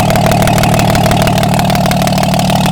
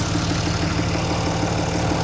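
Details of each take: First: Diesel truck whose replacement turbo failed after 12,000 miles, running with exhaust manifold off to check cylinders: steady, even idle about three beats per second, no misses or knocks; all cylinders firing. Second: Diesel truck whose turbo was installed 12,000 miles earlier: at idle, a rough, noisy tone with a regular flutter about six times a second. The turbo has failed; an installation error, possibly a hose not replaced, is suspected.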